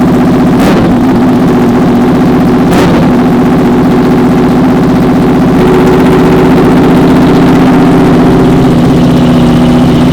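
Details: Honda VFR/CBR hybrid V4 with custom LexTek exhaust, just started after long storage; steady, even idle with smooth fast firing beat, no knocks or rattles; healthy and settled.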